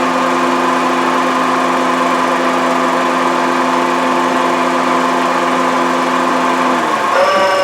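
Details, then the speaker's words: 2011 Honda CR-V at idle, noise loud enough to hear over the radio and traced to the AC compressor; loud steady rattling whir whose pitch shifts sharply as the compressor cycles on and off; AC compressor bearing noise, compressor replacement planned. "That noise is absolutely coming from the AC compressor. I had a feeling it was going to be because whenever the compressor turns on and off, you can hear the pitch change pretty drastically."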